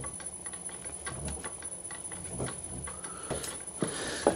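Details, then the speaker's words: Lathe driven by a VFD motor via a V-belt on a re-machined pulley, run at low speed: steady ticking, thumping beat as motor vibration grows more pronounced with lower speed and the belt vibrates up and down. "as you can hear the vibration from the motor is getting more pronounced as the speed comes down"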